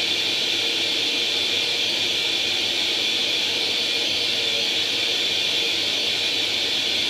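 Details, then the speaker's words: Atari 800 XL after a RAM-chip transplant fixing a 5V-GND short, loading International Karate from cassette: constant high screech-hiss running unbroken with no dropouts; the game then starts; normal cassette data loading tone. "wir laden jetzt einfach mal international karate wird einen augenblick dauern"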